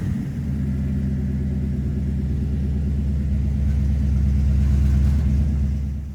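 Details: Chevy Nova small-block 350, MSD box controlling timing and sending the RPM signal to the Sniper: deep steady V8 rumble, even beat, no lope, ticks or knocks, pulls cleanly as it revs slightly; healthy.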